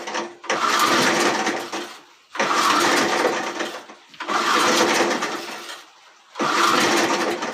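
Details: Old J C Penney 4 hp, 22-inch high-wheel push mower: four separate pull-start bursts, each spinning briefly and dying away without the engine catching. The carburetor is suspected and will be pulled.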